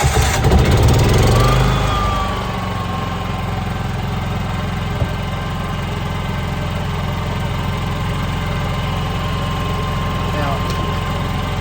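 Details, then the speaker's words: NPS 5500 inverter generator powering an RV, just after electric start with priming pump: brief start-up surge, then smooth even low hum at light load (fridge, some lights), no knocks or hunting; very quiet, normal idle. "I mean, this is, you know, just running the fridge or whatever, your inverter. There's not a lot running. Some lights in the camper. Very quiet."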